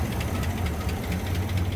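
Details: 2004 Chevy Silverado 5.3 V8, 225,000 miles, died while driving, oil like mud on dipstick, no oil pressure, blowing blue oil smoke: warm idle with fast, light tapping over engine note; lifter/valvetrain tapping from low oil pressure.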